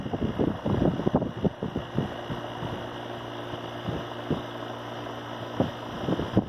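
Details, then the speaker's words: ComfortMaker central air conditioner condenser at least 21 years old, possibly from 1983, never repaired: steady low compressor hum and fan whoosh with some knocks and rattles, keeps running; normal running. "So you can see it's still working all these years, and I am actually probably going to replace it now, just for something more"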